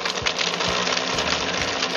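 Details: Countertop blender after zero-cost repair, test with ice, water and iced tea mix on slowest setting: bright even whir with ice chattering on blades, no grinding or stalling; runs normally.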